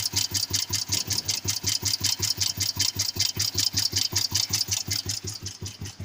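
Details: Royal Enfield cast-iron 350 single at idle: slow thumping at about two and a half beats a second with a sharp metallic tick on each beat; owner suspects piston knock, unconfirmed.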